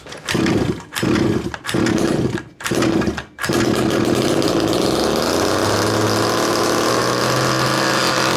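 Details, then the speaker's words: 1/5 scale RC Baja two-stroke, about 8°C, low needle 3/4 turn, high needle closed: sputtering bursts then catches and runs steadily; engine, clutch and bearings fine, faulty carburetor is the problem, to be swapped. "So the fact that the engine just wants to keep on running means the engine is fine, clutch is fine, running smooth, bearings are fine. Problem is the carburetor, and let me show you."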